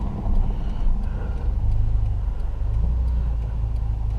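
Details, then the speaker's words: 2009 Subaru Impreza after exhaust leak repair with donut gasket seating: deep even low rumble, no hiss or ticking; exhaust sealed, normal exhaust note. "I would be happy with that. It's not too loud. No, it's not too loud. Just loud enough when you give her."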